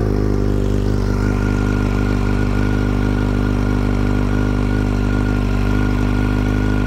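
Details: 2008 Yamaha FZ1 at idle, owner diagnosing a mystery noise: steady high-pitched whine over an even idle that follows engine speed, possibly bearing-type; later found loudest at the clutch cover, quieter at crank and cam chain; cause unconfirmed.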